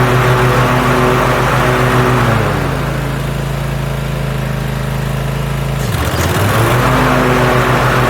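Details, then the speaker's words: 2021 Cub Cadet ZT1 50 zero-turn after replacing an overstretched deck belt: engine runs smooth, dips briefly as the PTO engages the blades, then settles with no squeal, rattle or excess deck vibration. Normal running. "but that is now behaving normally I don't see the excessive vibration in the deck I don't hear the funny noises I was hearing"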